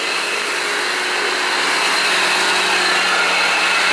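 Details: Engine with a recurring slow oil leak, owner suspects cold weather: loud, constant hissing whine with a faint steady high tone from the engine bay, source not found.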